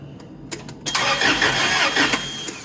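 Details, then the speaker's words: Toyota forklift (4Y engine, about 3K lift), reportedly seized, with almost no oil on the dipstick, cranked without fuel to build oil pressure before fitting propane. Short starter bursts, then it turns freely with no binding; the oil pressure light went out. "Crank it. Just trying to get some oil up through this thing."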